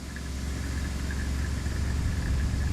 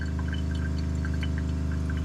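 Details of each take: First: 2021 Aspen Trail LE 1950BH RV water pump during de-winterization, drawing through the tank: steady low drone with an uneven strained hum, like a marble pushed through the lines, as trapped air is purged; the pump later made pressure. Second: 2021 Aspen Trail LE 1950BH RV water pump during de-winterization, working hard to fill the hot water tank after taking prime: a steady low drone with fast, even pulsing, labouring but smooth. Normal pump running under load.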